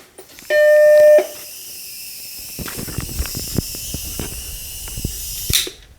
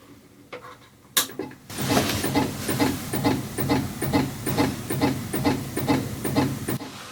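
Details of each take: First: Macintosh Plus after a capacitor replacement, at power-up: a single clean half-second startup chime followed by faint clicks. It repeated a couple of times before the machine posted, which is normal. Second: Vintage Macintosh Plus at first power-on before recap; regular soft clicks about twice a second over a quiet hum, floppy drive head stepping but screen stays dark and the computer does nothing else.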